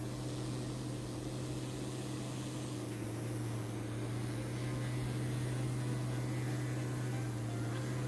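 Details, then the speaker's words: Small DC motor powered by two cells: steady low hum with a light buzz at even pitch, spinning fast enough that its paper tape is almost invisible; running normally. "Two cells now, turning on the switch. I'm sure you can even hear the buzzing sound, and paper tape almost invisible."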